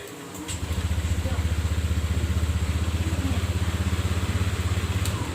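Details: Honda Click 150i after repairing burnt, broken electrical terminals that prevented key-on power: engine catches and settles into an even steady idle thump about four beats a second, no misses; running normally.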